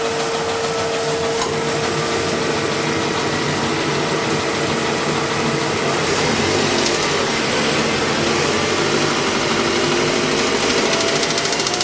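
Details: Mazda 6 engine idling with a steady light knock about three a second, unchanged in pitch; owner asks what the knock is and its cause, not yet pinned down.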